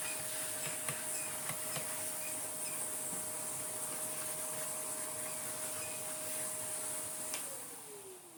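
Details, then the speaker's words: 1990s Numatic BX.BX BX190 vacuum, motor running: steady mid-pitched whistle over airflow hiss, sliding down in pitch on wind-down; motor sounds good, owner suspects leak at the dirty filter mating-face seal. "But what we are going to do is clean the mating face of the filter, because I think that noise we hear on wind down isn't necessarily the motor. The motor actually sounds pretty good. I think it's this."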